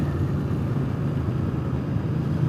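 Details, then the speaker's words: Speedmaster accelerating on replacement used pipes: a low, even rumble rising smoothly with throttle, no pops or raspy bark where the old pipes gave a loud brap; quiet, clean pull, healthy engine. "Before dumping the throttle like that, I would have heard like this brap. I am pretty happy."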